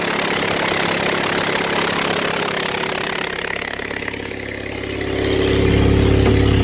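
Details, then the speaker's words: Honda with failed head gasket, treated with bottled sealer, two leaking cylinders disconnected and plugs pulled: lumpy uneven idle with regular stumble, then rough rev; firing on only two cylinders. "all right so I'm still running on two cylinders I don't know if that stuff's any good but I know those cylinders that I have disconnected and I pulled the plugs"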